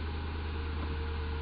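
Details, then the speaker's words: Ford after MAF sensor fix for P0171/P0174 lean codes, fuel trims reset: steady smooth low hum with no misses, held at about 1100 rpm, above normal idle, while the computer relearns idle and base fuel trims. "now it's at a higher Idol right now you can go ahead and look at the RPM too if you want to guys want to see that and we're going to let it learn the idle and base fuel Trims and then we'll go for a ride"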